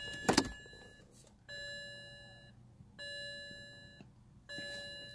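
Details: 2007 BMW 335i coupe in no-start brick mode with a red steering lock light after the key was left in and the battery died: clear electronic chime repeating about every 1.5 seconds in a quiet cabin; ELV steering lock counter fault warning.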